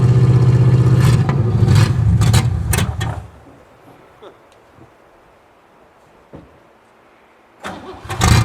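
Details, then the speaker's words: 1963 Oldsmobile 88 survivor, running on gas poured into the carburetor, choke faulty: loud, deep, raspy blat on each rev, quiet between blips; muffler completely blown out, exhaust unsilenced and needing repair. "muffler's blown out completely on this thing so uh definitely going to need to do something with the exhaust it sounds badass though"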